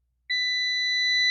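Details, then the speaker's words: Dead Intex home theater SMPS board, checking the coil in the primary section with a meter: one clean, steady high-pitched continuity beep held about a second, so the coil winding is good. "Coil भी ठीक दिखा रहा है।"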